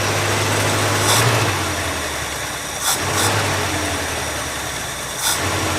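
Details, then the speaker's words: 1967 Mercury Commuter wagon, still cold: catches and settles into an even, steady idle with a couple of light throttle blips; runs clean, much better than before when it was barely running. "A little cold right now. But she sounds a lot better than what she did on the last video. She was barely running."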